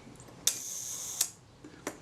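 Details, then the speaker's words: Kodak Retina Reflex III shutter at the one-second setting during service, after adjusting speed train cam engagement: open click, brief buzzing escapement, closing click about three quarters of a second later; slow speed running too fast. "well that was a pretty quick second so it's certainly going to need more engagement than that swing that speed train and slightly more slacking that screw off bring the speed train in slightly"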